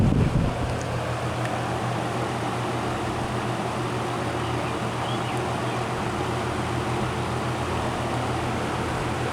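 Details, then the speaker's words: Old GE 20-inch box fan, model F17W12, switched from medium to high: steady rushing airflow over a low, even motor hum, no rattles or scraping, still not loud. Normal fan operation. "and we'll go to High very powerful and it's still not even that loud these old box fans they always give off that distinct low frequency sound to them"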